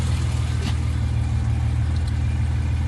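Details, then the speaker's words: 1970 Mercedes 280 SEL idling after replacing the detached power steering pulley and reinstalling the repaired radiator: steady even low hum with no knocks or ticks; belt fine, no coolant leak, temperature normal at 180 to 200. "So, so far everything looks good. The power steering belt seems to be fine. The coolant seems to be fine. No leak."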